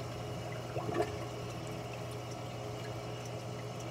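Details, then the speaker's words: Clear Water Scrubbers CW-50 algae scrubber on a Red Sea Reefer 250, half-inch feed line squeezed to cut flow: faint steady pump hum and a brief trickle, drain silent with no gurgling; excess flow suspected as the cause of the noise. "I'm squeezing the line to reduce the flow to the scrubber you can see the water level is not much lower but just a little bit and it's silent there's absolutely no noise coming from the scrubber"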